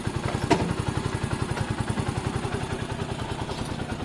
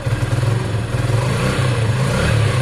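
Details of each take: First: Sinnis SC125 single after the new performance carb was fitted: steady, even idle with regular exhaust pulses and no knocks or misses. Runs normally and drives well with no issues. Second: Sinnis SC125 single: revs surge and sag, stumbling at one small throttle spot. Throttle hesitation before the CG performance carb was fitted.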